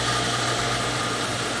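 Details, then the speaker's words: Outdoor jet water pump after repair with a new 30–50 psi pressure switch and wall hydrant: steady motor hum and constant whir with no knock or rattle as pressure builds to about 55 psi, where the pump shuts off; cut-in about 35–40 psi. "45 fifty [Music] fifty three [Music] fifty five it shut off that so that's good what's it turn on 40 so 35 to 55 so that's good"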